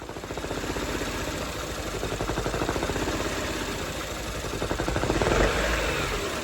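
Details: Peugeot restarted after a redone rocker cover gasket, with oil in the spark plug wells: a choppy, uneven idle with a lumpy beat about four a second that stumbles and nearly dies. Misfiring, with cylinders 2 and 3 suspected.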